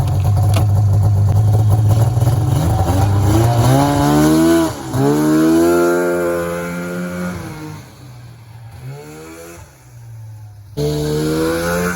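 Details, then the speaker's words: 1994 Polaris Indy 440 two-stroke snowmobile with airbox removed, air screw at spec 3/4 turn: crisp revs climb smoothly onto the pipe with no bog or stumble; normal acceleration onto the powerband. "oh man I am so stoked right now you have no idea how happy I am that this thing is finally running good it's usable now it's coming onto the pipe I don't know why that airbox makes such a big difference"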